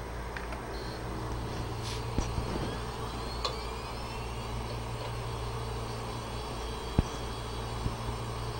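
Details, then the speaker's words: 80 GB Western Digital hard drive that was clicking from bad heads, after head swap, powered up on imaging station: steady low spindle hum, faint seek ticks, no more clicking; normal spin-up. "and you'll notice there's no more clicking at this point"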